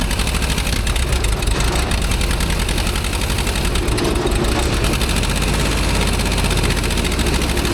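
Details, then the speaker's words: Old Asplundh JEX Chuck n Duck wood chipper, drum engaged, water dripping from greased bearing: loud steady roar with heavy low rumble and constant rattling, far too noisy; owner doubts the bearings are okay, cause unconfirmed. "You hear all that noise? Wow. I just can't feel comfortable that these bearings are okay with that much noise."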